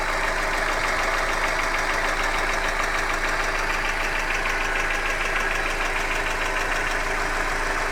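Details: Hyundai Accent engine at steady idle with a sharp tapping knock repeating about three times a second in time with the engine; internal knock of unknown origin.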